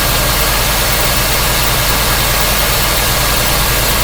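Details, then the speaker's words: '54 rat truck, 305 throttle-body fuel-injected V8 with about 120,000 miles, after water pump work: steady, even idle with a smooth low rumble and no knocking or ticking; owner says it doesn't knock, normal idle. "Runs like a champ. Doesn't smoke. Doesn't knock."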